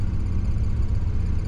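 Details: Crete Carrier truck diesel idling under Opti-Idle climate control with air conditioning running on low blow, about 108 degrees outside: steady even low rumble, no knocks or misses; normal healthy idle.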